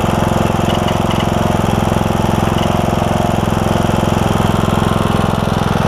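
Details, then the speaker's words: John Deere E100 mower, 17.5hp Briggs single-cylinder, 80 hours, after camshaft with broken compression release replaced: steady, even putter about 3.5 beats per second, no misses or knocks; clean idle. "all that oil that's going to burn off the muffler inside the muffler and all that stuff sounds good though start it right up too so that's awesome"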